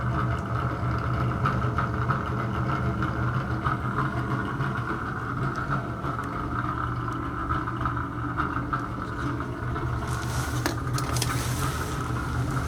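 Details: Bathroom exhaust fan running noisy: constant rough drone with buzzy mid-pitched hum, no rhythm; owner suspects bad motor or fan bearing, particle-board-like debris (not dust) fell out when opened.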